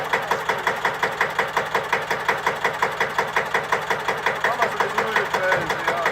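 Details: Deutz F1L612 tractor, 11 PS, 1954, air-cooled single-cylinder diesel, cold start after overhaul and repair for TÜV inspection: even, regular thumping about three beats a second, unhurried; clean, healthy idle.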